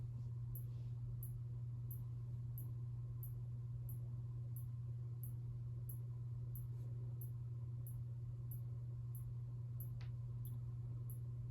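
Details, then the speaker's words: 1981 Casablanca Zephyr ceiling fan, bottom bearings oiled, top untouched, motor not opened: low steady hum with a faint high chirp about twice a second; bearing noise remains, top or bottom bearing uncertain. "So you do still hear some bearing noise, but I can't tell if that's the top or the bottom bearing making that noise. Maybe it's both, I don't know."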